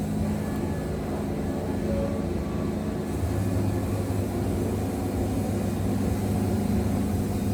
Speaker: I hope you guys can hear how how far down I'm bogging that motor but what what you'll notice is I'm bogging that thing down but I'm not getting any blade dip or anything like that